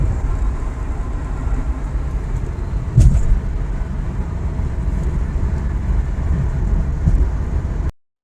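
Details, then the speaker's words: 2010 Subaru WRX five-speed manual, test drive after replacing the center differential to cure transmission whine: steady low driving rumble with no whine; normal transmission, fixed. "and as you guys can hear there is no more noises so the car is fixed"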